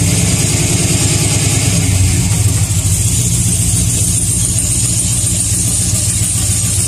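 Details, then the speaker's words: GM V8 truck with long-tube headers, in park: a fast, fairly even tick over a loud run, worse on the passenger side. An exhaust tick gets louder under load, unlike a lifter tick; this one points to an exhaust manifold/header gasket leak. "one thing to tell the difference between an exhaust taking a voucher intake is an exhaust tick will get louder under load so if you go and put it a drive and put the motor in the load or get louder"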